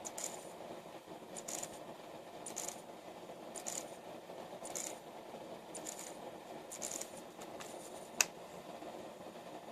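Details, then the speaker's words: Car radio bench-tested off a computer power supply, no speakers connected, CD playing: light scratchy clicks about once a second over a quiet hiss; the CD mechanism seems to get caught and stick, cause unknown. "I don't know what that noise is that it keeps making, though. That's kind of annoying."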